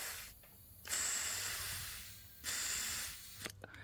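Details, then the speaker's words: 2000 Honda Rancher ES TRX350 carburetor during cleaning, air blown into the fuel inlet: steady hiss that cuts off sharply twice as the float rises and the needle seats; inlet valve sealing normally. "You can hear the air close and stop, and that's what you're listening for."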